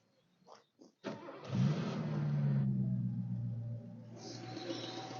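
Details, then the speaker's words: Mercedes-Benz R107 380SL after replacing the distributor cap and rotor arm: quick crank, catches cleanly into a smooth, even idle; the knocking noise heard before is gone. "Well, that is an absolute result. This car sounds so much nicer. It was making a knocking noise before. Sounds so much nicer and smoother and a bit cleaner than it did before."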